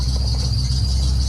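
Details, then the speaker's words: Ultima GTR with Chevrolet LS3 V8 idling, heard close up: steady piercing high squeak over the low rumble, persisting after a tensioner change; owner suspects the auxiliary belt, or tensioner, tension or pulleys. "you can most definitely hear a very defined squeak, which is very irritating."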